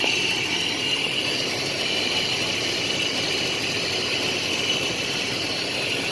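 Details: 1987 Nissan Pathfinder VG30i V6, long unused, just converted to a Weber carburetor: after the idle adjustment it settles into an even idle with an airy rush and no stumbles or surging.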